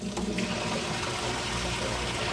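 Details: Used top-load washer on the normal cycle, switching from hot to warm while testing the inlet valves: steady rushing gush of water with no hiss, chatter or sputter. Valves fill normally; pressure switch later found bad, overfilling.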